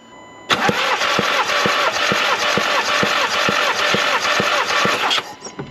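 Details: Skoda Octavia vRS engine, low mileage, during compression testing with good battery: starter spins the engine evenly with regular compression beats; cylinders 2–4 at 12.5–13.5 bar, cylinder 1 has no compression.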